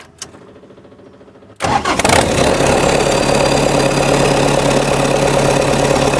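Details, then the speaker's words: Cold diesel-swapped Jeep Wrangler YJ in neutral: the pump is heard priming and building pressure after key-on, then the engine catches at once and settles into an even, steady diesel clatter at idle; healthy cold start. "the pump build up the pressure, bump that key, she fires every time. It is so dialed in good."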